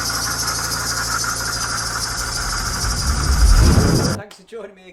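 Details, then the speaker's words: BMW 318d E90/E91 N47 facelift 2.0 L diesel at idle before repair; failed water pump leaking coolant, rattle worsening over about three months. Fast, uneven metallic chatter over the diesel clatter until shutdown; worn water pump bearing rattling. "oh that was making a bit of a racket wasn't it bless it this is the uh m47 Engine 2 L 118 diesel water pump is making a right Racket and it's leaking so we've got some fluid coming out of it"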